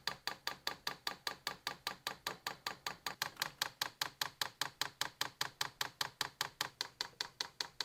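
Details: New Vevor diesel heater before its first start, manual priming by holding the controller's left and right arrows: crisp, evenly spaced fuel pump ticks about 2.5 per second on a quiet background. Normal pump priming.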